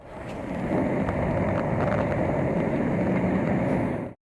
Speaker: next thing we're going to listen over here is on the spa Jets spa suction and spa light and what we're hearing right now is that leak check it out and listen to it